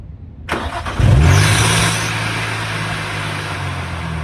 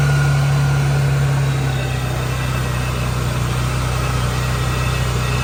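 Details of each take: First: Procharged (supercharged) Nissan 350Z before belt replacement: engine cranks and fires, then a loud high squeal flares as revs rise on startup before settling to idle, the worn supercharger belt slipping badly. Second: Procharged Nissan 350Z after fitting a new belt tightened to fix belt slip: the engine catches and settles into a steady, even idle with a faint supercharger whine and no belt squeal; sounds healthy.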